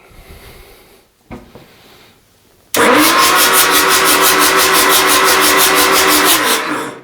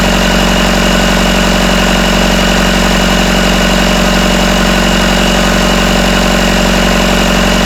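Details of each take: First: Rebuilt Isuzu 4BD1T diesel in a Hitachi EX120-2 excavator, first start attempt. The starter cranks in an even four-to-five pulses a second for four seconds but it never fires; the fuel cutoff was later found set in the wrong position. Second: Rebuilt Isuzu 4BD1T diesel in a Hitachi EX120 excavator, first start, about 1250 rpm, still warming (about 100°): steady even idle with smooth regular clatter, no rattle after loose rear bolts were tightened; healthy.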